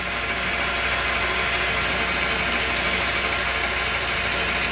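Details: Cooler Master RP-500-PCAR ATX12V 500 W power supply (without PFC) in a custom PC: steady high whirring hiss with a faint uneven rattle about three times a second. The fan is visibly stuttering and running rough, throughout use.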